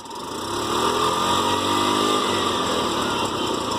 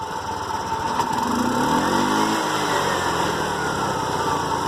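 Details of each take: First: TVS King single-cylinder: raspy, breathy roar and steady buzz rising slightly; bad engine noise from split air intake hose. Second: TVS King single-cylinder after air filter hose replacement: putters steadily, brief rev swells and falls back to even idle with no knocks or rattles; normal running.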